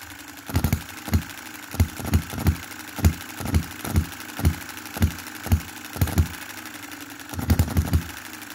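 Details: 2022 Enjomor Chinese hit-and-miss engine after fixes (spare piston ring, corrected valve timing, leaded governor weights, added spring for quicker latching): sharp single firing pops about half a second apart with coasting gaps, slow speed; normal running.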